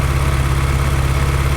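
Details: Salvage-auction Ferrari engine, uneven lumpy idle with a steady low throb and a stumble each cycle, one cylinder dropping out; misfire, ignition checked by unplugging cylinders five and two, no ignition fault found, vacuum leak next suspected.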